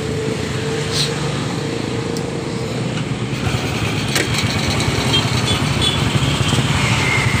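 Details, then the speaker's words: Honda Supra motorcycle after oil drain bolt work, idling: fast light ticking about four a second near exhaust and left engine side; loose cam chain. "dengar baik-baik suara mengkritik di bagian pot dan mesin kirinya ini Ini kemungkinan rantingnya yang longgar"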